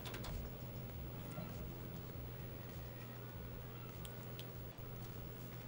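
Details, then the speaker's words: Sega CD Model 2 after repair of a gear-grinding laser mechanism, often caused by a worn limit switch: runs almost silently with a faint low hum and no grinding; normal quiet drive. "perfectly silent I'm pretty happy with that result actually"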